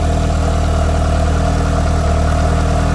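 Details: Mitsubishi Evo turbocharged four-cylinder, about 15,000 miles on the motor, first idle right after installing an FP Red turbo with MAP performance manifold and FP oil line kit; new parts smoking off oil and cleaner; deep, steady smooth idle, even pulses, no knocks or misses; normal idle.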